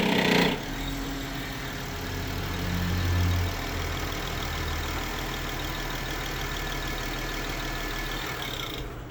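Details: BMW 535i pulling away from a stop at low rpm, clutch let out with almost no throttle to exaggerate it: a dry, uneven rattle over the lugging engine drone under load; source unconfirmed.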